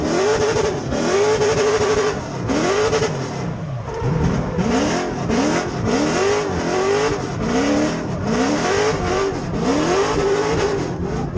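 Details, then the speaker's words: 6.0 LS V8 in a 1992 Nissan 240SX drift car with 4-speed dog box, floored: ragged bogging misfire, revs rising and sagging, caused by a snapped alternator belt draining the battery so some coil packs misfired. "So you can definitely hear that weird bogging noise. I was completely floored at this point. And that turned out to be the alternator belt snapping and the battery kind of draining where some of the coil packs weren't firing right, and it was just a heck of a mess."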